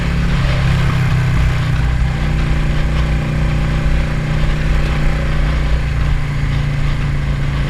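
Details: Engine after a vacuum leak was fixed: deep, even rumble that holds steady throughout with no hiss or hunting, a settled, healthy idle.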